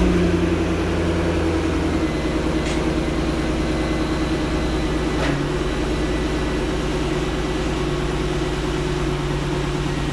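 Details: Corvette C6 Grand Sport LS3 V8 just after installing a Halltech MF-103 cold air intake with beehive filter: deep, steady burble with even lope, no ticks or misses; healthy idle, no check engine light.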